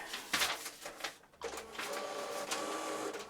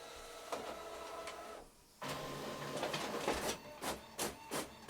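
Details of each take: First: Epson EcoTank ET-16600 A3 automatic document feeder: sharp, irregular clicks and snaps over the motor whir; a damaged drive gear. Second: Epson EcoTank ET-16600 automatic document feeder after stripdown and replacing one small gear that caused grinding and jamming: even rhythmic whirring and light clicks about three per second, no grinding or skipping; feeder working.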